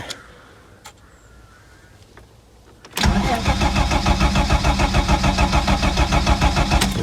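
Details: Ford Sierra Mk1 Estate 4x4 Ghia 2.8i: steady starter churn about three turns a second that never catches; cranks, won't start though nothing touched; owner suspects the throttle plate, sprays brake clean, spark confirmed present.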